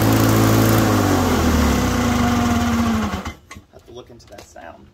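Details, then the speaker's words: Lawn Boy two-stroke mower after top direct-drive starter conversion, running with a steady droning hum, then winding down and stopping; owner suspects possibly a blade coming loose, not confirmed. "let's get that weird hum to it that's one thing I remember as a kid"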